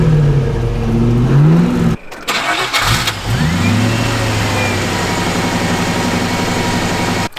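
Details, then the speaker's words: Air-cooled VW flat-four on a starter stand after setting timing with a timing light, possibly slightly rich: cranks, catches quickly, blips, then settles into steady even idle with no misses; restarts fine. "I think we'll call that good for now it starts right back up"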